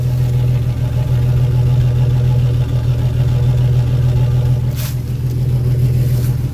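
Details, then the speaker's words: Jeep Cherokee XJ, no catalytic converter: loud deep idle with an uneven, stumbling exhaust pulse from a misfire. "yeah that's where the GP supposed to sound like and then over here this Dortmund sounds like with a misfire"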